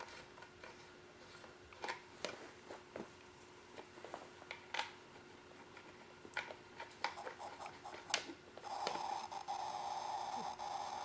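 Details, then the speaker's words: Foscam FI9821W IP camera speaker with the original antenna refitted: irregular crackles and pops over a faint steady hum, attributed to Wi-Fi interference. It still crackles, at reduced volume, when the antenna touches the power cord; a 9 dBi antenna roughly halved it. "okay immediately I hear it I he crackling away move the ten the original t into different different positions can still here crackling"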